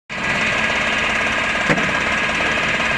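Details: Car engine at idle with a fast, light ticking knock over a hissy background; a bearing or bottom-end noise is suspected but unconfirmed.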